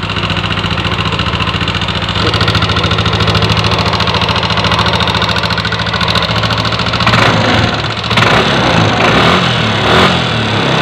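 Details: Yamaha NMAX (early generation) scooter, liquid-cooled, idling: rapid, uneven metallic ticking from the top end, a worn rocker arm bearing.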